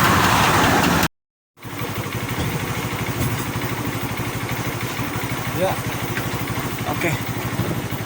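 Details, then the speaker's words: Honda Beat automatic scooter revived after stalling, possibly from running out of engine oil, started without engine teardown; steady, even idle putter with no knocking or seizing, running fairly well. "nah ini sudah langsam kendaraannya dapat menyala dengan cukup baik"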